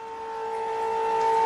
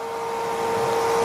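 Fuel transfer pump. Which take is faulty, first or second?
second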